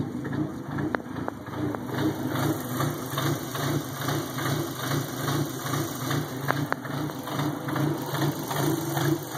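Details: Dodge SRT-4 with 2.0 cams: heavy, uneven lumpy idle, about two to three lumps a second, like much bigger cams, then smoothing out; a shop couldn't find the cause.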